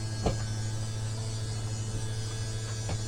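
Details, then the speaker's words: Toyhauler RV sofa slide extending after storage: normal slide-out operation, steady low motor hum with a couple of soft thumps as the room moves out and the seals come out; button released at any grinding or motor drawing down. "Sounds like the seals are coming out on it. Another thing I do is soon as I hear that grinding or the motor drawing down, I let off the the button."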